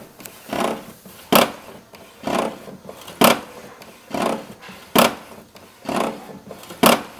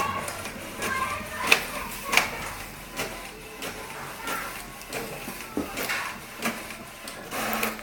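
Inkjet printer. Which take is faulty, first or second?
first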